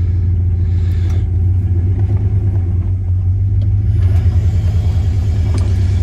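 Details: 1999 Dodge Ram 1500 5.2 L V8 that used to die at idle. After repair (suspected idle control valve replaced), idling in gear: deep, even rumble holding steady without dips or stumbling. Normal idle under load.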